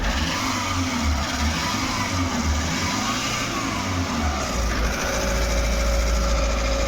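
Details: Maruti Suzuki Eeco petrol/CNG after a new MAP sensor was fitted, having had DTC P0108, misfire, vibration, check light and poor pickup: the engine revs and settles smoothly and stays stable with AC on, no jerks, no fault codes.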